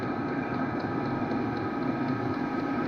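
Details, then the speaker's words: Diesel heater with a battery-backup mod, powered only by an AC extension cord through the charger, running a few minutes at setting 4.2 with battery near 14 V. Soft steady hum with faint even whir, no sputtering or surging: normal running. "so the heater is running the battery is going up"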